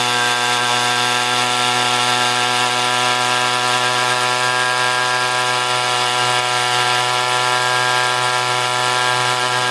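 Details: Echo string trimmer two-stroke powerhead after replacing an incorrect carburetor gasket, nothing else changed: smooth, steady high-pitched buzz at even speed with no stumbling or surging; runs properly.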